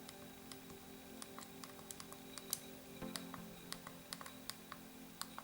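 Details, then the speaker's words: RG35XX SP handheld buttons before the tape mod, about twenty sharp, uneven, loud clicks. Measured with a decibel meter: start and select about 70 dB, the other buttons about 60 dB. The buttons are noisy and clicky. "So I think the start and select buttons go to about 70, the others seem to be about 60."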